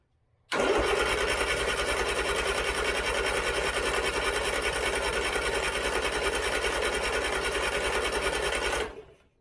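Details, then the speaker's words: 1970s Turner Ranger tractor, 1098cc A-series Mini engine, weak corroded battery with a jump pack attached: even cranking around 200 per minute with no firing, then one pop with less throttle. It has always been hard starting, and the plugs are suspected fouled. "not even a hint of Life there was a less throttle okay one little popper a little bit more throttle then wants to [Music] go and this is the problem I have it's always been difficult to St"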